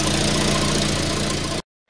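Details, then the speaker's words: 1994 Volvo 480 2.0 ES idling after new front downpipe, catalytic converter and cut-up modified rear section: puffing ticking chuff at every firing pulse; every exhaust joint leaking. "so I think what that means is that every single joint that I've got is leaking and I'm not really sure what to do next"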